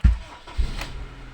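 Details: Honda CR-V 3rd generation, started after replacing the snapped fan belt, caused by a seized bearing, plus tensioner: brief crank, catches and settles to a quiet steady idle with no squeal; battery light out, normal start and idle.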